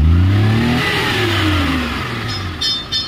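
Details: Maruti Omni CNG/petrol van with an automatic gas/petrol switch and new carburettor, running on petrol: revs up cleanly and winds down smoothly without stumbling or popping; healthy.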